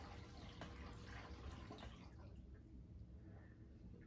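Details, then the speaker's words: Upper washer of a Samsung FlexWash running a Normal cycle; the machine has a known water leak tied to LC1/1LC1 error codes. Soft, uneven swishing and splashing of water at low level, with no knocking or grinding. Normal wash action. "if it has any sort of aggressive wash action like this you're definitely bound to hear it"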